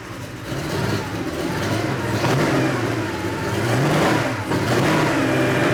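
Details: 1987 Porsche 911 Carrera 3.2L engine on a test stand, first start after sitting for years: it catches and revs unevenly with sharp, irregular exhaust pops from unburnt fuel and a gas smell; misfire.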